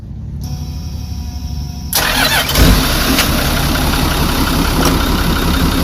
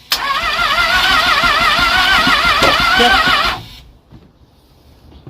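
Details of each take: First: Marine trawler diesel engine during refit: brief cranking, then catches and settles into steady even idle, no knocks or misses, water coming out. Finding: healthy engine start and run. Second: Starboard engine on the Hummingbird trawler during a refit cranks with an even warbling whir for about 3.5 seconds but won't start; only the batteries have been replaced so far. A fuel issue is suspected, and the fuel filter will be checked.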